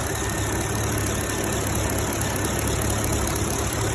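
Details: 2011 Chevrolet Camaro SS V8 at idle: a fast, light ticking rides over the low rumble. The owner fears a bad lifter, also suspects failing fuel injectors, and doubts claims that it is normal. Cause unconfirmed.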